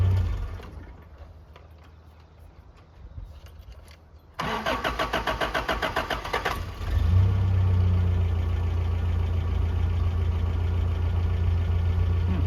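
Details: 1982 Toyota SR5 4x4 pickup that would crank, run then cut off, after replacing the emissions control computer box: quiet, a few seconds of steady cranking, then catches and settles into an even idle that holds without dying.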